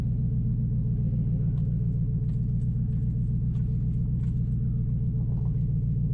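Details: 2005 Nissan Titan V8 after Walbro fuel pump rebuild and new starter, muffler removed: deep even burble, steady low rumble at idle, no misfires or knocks; seemingly running better than before.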